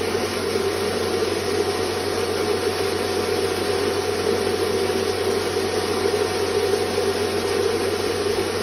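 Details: Rice mill whose swing-hammer blades were converted to a grinding-teeth set to cut noise and vibration, running under load: a smooth, even hum with a steady grinding rush, no surging or labouring; normal running.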